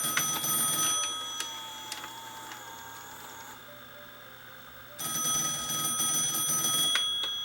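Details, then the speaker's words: JVC BR-S411E PAL VCR, with its breakage-prone white gear still intact: a steady motor whine with a thin hum during fast forward, then a pitch change into rewind; the tape transport winds normally. "So it's moving. Rewind. Okay."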